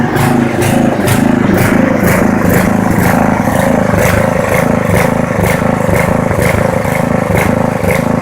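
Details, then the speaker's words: Poulan 900 rototiller single-cylinder engine running without air filter (paper towel test): loud, clattery, pulsing about twice a second, never smoothing; wrong air-fuel mixture from missing filter blamed. "I'm gonna blame the rest of it on the lack of an air filter we just have the wrong air fuel mixture going on right now"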